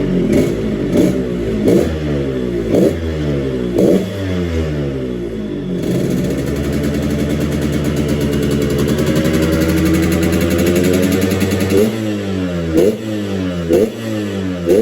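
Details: Restored 2004 Yamaha RX King two-stroke, aftermarket boring, used 2008 original oil pump: crisp blips about once a second, then a held rev rising and falling smoothly, crackling clean; healthy.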